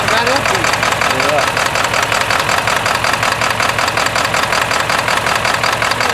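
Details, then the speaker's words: 1997 Ford F-250 XL 7.3L PowerStroke turbo diesel, cold start at 65 degrees: loud clatter with an uneven, lumpy beat of about three pulses a second, shaking the truck at idle. The rough running is attributed to bad injectors. "cuz you know vibrat and shake so much you shake all that fat ass off of you"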